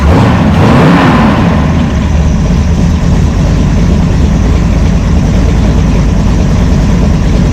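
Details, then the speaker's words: V8 with a Brawler 650 CFM double-pumper carb, timing 16° initial and 36° total, idle mixture screw turned fully in: the idle sags and runs lumpy and uneven as vacuum drops, that circuit starved of fuel. "We'll just turn this one all the way in to show you. Anyway, really doesn't like that."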